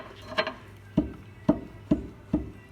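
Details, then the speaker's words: 2009 Smart Fortwo, driver's front lower ball joint levered with a bar between arm and hub: sharp clunks about one every half second showing loose play; the ball joint is worn, other side fine; lower suspension arm replaced. "that ball joint is knackered is playing it driver's Front Bottom ball joint the other side's okay I've already checked that"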